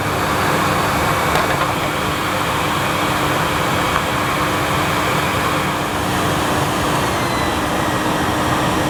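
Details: Panasonic MC-E862 bagged cylinder vacuum, bought new in box, picking up dirt on deep pile carpet: a steady, even suction roar and constant motor hum over the brushing, no whine changes or rattles; a relatively quiet, good performer running normally.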